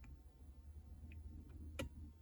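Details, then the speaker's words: Renault Zoe EV cabin heater: sharp isolated clicks about half a second apart over a low hum as the heater relay steps through power stages; the owner believes it has three elements. "You can hear those clicks. Here you go. It's got so many gradients. I'm sure it's got three elements when I looked at the wiring diagram."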